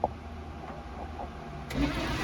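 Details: 1972 Mazda B1600 V8-swapped truck, first test fire after valves adjusted, spark being checked, ground possibly poor. Starter turns the engine over steadily from partway in but never catches or fires: cranking, no start.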